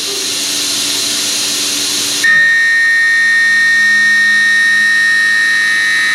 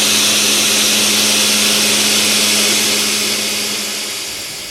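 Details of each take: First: High-feed end mill on a long extension taking 0.050-inch-deep pocket cuts with a large stepover: hissy cut turns into a steady piercing squeal with ringing tones, provoked on purpose; vibration-induced end mill chatter and squeal. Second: End mill in a heat-shrink holder cutting dry: an even, steady cutting tone with no chatter or squeal, then the cut winds down. The holder's lower runout and tighter grip give clean, stable milling.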